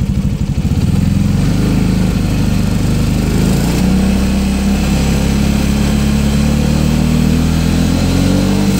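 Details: Piaggio MP3 500 scooter: the idle stumbles at first, then settles into a lumpy, uneven run. It also cuts out at 6000 rpm; the owner suspected bad fuel, replaced it, and is burning off the old fuel in the lines. Cause unconfirmed.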